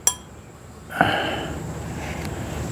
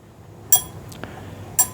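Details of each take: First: Briggs and Stratton 17.5 hp engine compression (cam) release lever flicked by hand: light metallic click, then slow, soft return, barely closing compared with a new lever; weak compression release spring. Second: Briggs and Stratton 17.5 hp engine, new compression release (cam release) lever: two crisp metallic pings as it snaps shut quickly; normal strong spring, unlike the worn lever that won't stay closed and prevents starting.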